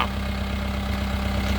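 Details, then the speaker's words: 1980s Case 480E backhoe, parked since the summer before last with vines growing on it, started on its old battery. Steady, smooth diesel idle with even firing and no misses or knocks, running like it never sat. "Didn't fire it up like it was fired up like it never even sat here. That's insane."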